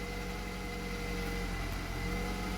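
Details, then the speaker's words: Petrol Mercedes A-Class W168 started after fixing the P0170 too-rich lambda fault and clearing codes, with no engine light. A smooth, even low hum with steady pitch and no stumble or hunting while warming; normal idle. "So this should now just start up and behave itself."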